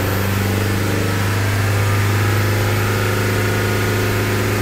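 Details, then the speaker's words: Toyota Fortuner diesel after repair of starting knock and white smoke: revved, picks up cleanly and holds a steady even drone with no knock or stumble; knocking problem gone, normal revving. "हमारी गाड़ी पुरी तरह से race भी हो रही है और हमारा जो लॉकिंग का प्रॉब्लम देखिए वह भी नहीं ए रहा है"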